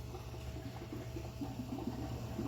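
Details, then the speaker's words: RV macerator pump draining the black water tank into an IBC tote after a 5-gallon bucket of flush water: a steady low hum under gurgling water, slow and low volume. Normal draining. "hear it draining in there some more it's kind of a slow pump it's not like it's you know high volume high speed or nothing but it but it gets the job done"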